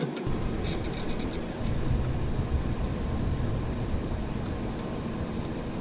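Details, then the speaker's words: 1979 Chevy C10 factory 454 big block after sitting five years on old ethanol fuel: brief crank catches into a low, rough, uneven rumble wavering in speed; hard starting, owner suspects bad fuel pump. "I think our fuel pump is no good"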